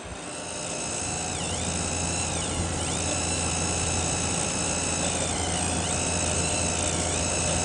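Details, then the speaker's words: Zalman ZM-1000HP PC power supply under gaming load with Vsync off: loud shrill squeal of several high tones sweeping and dipping with load, much reduced with Vsync on. Likely a noisy capacitor or inductor; owner suspects a substandard component or design flaw. "this is an obvious case where a component is not up the spec or a just a serious design flaw that these companies are not admitting"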